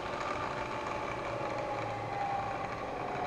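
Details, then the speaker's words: Milling machine in high range, spindle running normally; steady mid-pitched motor hum with faint whine rising and falling as spindle speed is adjusted while running. "Do need to make an adjustment to the speed. You can do it while it's running by adjusting this. Hear the motor run up a little faster,"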